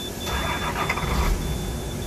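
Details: 2003 International 4300 with DT466 diesel, towed in as crank no-start, no fault codes, fuel pressure good, injectors buzzing, compression okay: starter spins engine at an even steady rhythm but it never fires; faulty cam sensor.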